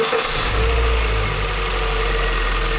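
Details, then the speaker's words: Hyundai i30 estate petrol engine idling steady and even with no misfire stumble, after replacing a faulty ignition coil that had caused misfires and rough running; no fault codes remain. Normal idle. "pracuje równiutko nigdy nie dolega"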